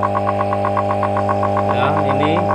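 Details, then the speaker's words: Resun aerator air pump (LP40–LP200 series) with weak output, running with the cover open: loud steady mains buzz with fast even pulsing hum; the torn rubber diaphragm is behind the weak output. "Nah, ini terlalu keras soalnya covernya dibuka ya. Karetnya itu sobek ya teman-teman, karetnya ada di sini."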